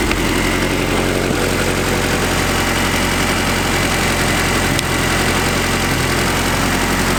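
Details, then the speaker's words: Honda DA9 with B20 VTEC turbo swap, first start after new exhaust work: loud, steady idle with a deep even exhaust drone, no knocking or misfire; normal idle. "Sounds good to me. Well, I'm stoked."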